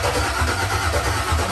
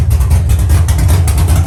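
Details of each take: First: Dropped Chevy truck, freshly built cammed 5.3 V8 with Texas Speed 232/234 cam, first start attempt: starter cranks at even rhythm but never fires; fuel pump got no power, later traced to ground issues. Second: Dropped Chevy truck, cammed 5.3 V8 with Texas Speed 232/234 110 LSA cam: deep loping idle with steady lumpy chop, no knocks or misses; sounds good and healthy.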